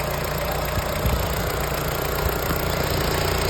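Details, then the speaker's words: Audi TT Mk1 1.8L turbo (APX, 222 bhp) with emissions parts deleted, everything refitted after pipe replacement before the 5W40 oil change: even, steady idle with a low smooth drone, no knocks or misses; normal idle. "And look, As you can hear, she is running, actually running very, very smoothly."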